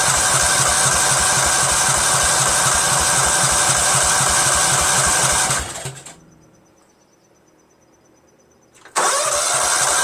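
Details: Cub Cadet lawn tractor with a Kohler Command CH13 13 hp horizontal-shaft engine, after a new mechanical fuel pump was fitted: steady cranking at about four beats a second with no firing. Fuel starvation from a crimped fuel line and carburetor gasket air leak.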